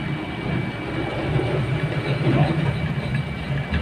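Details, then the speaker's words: Vacuum pump evacuating a refrigerator through a manifold: steady low drone with an uneven gurgling undertone as it draws leftover air from the evaporator and condenser, gradually decreasing; continued gurgling would indicate a leak. "a kemresek berarti vakum ini lagi bekerja menyedot ya atau macum udara udara yang tersisa pada evaporator dan kondensor pada kulkas"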